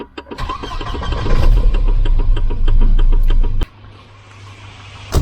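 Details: Volvo 244 redblock engine, previously left parked and wouldn't turn over (battery/ground checks done; brake pedal cleared a warning light): quick even cranking for about a second, then it fires promptly and settles into a steady run; normal start.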